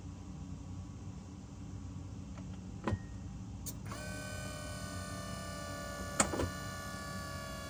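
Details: BMW E60/E63 M5/M6 SMG pump being bled with INPA after a CHF-11S top-off: steady low pump hum, sharp clicks and brief electric whirs as gears shift. Normal actuation, unlike the earlier faulty pump; the bleed then completed with no fault found.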